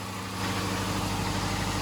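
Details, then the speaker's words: Subaru EJ25 for a 1973 VW Bus swap, engine warming up with the radiator fans not connected: a smooth, even idle with a steady low hum and no knocks or misses; normal idle. "you see it's heating up but it seems to be running fine"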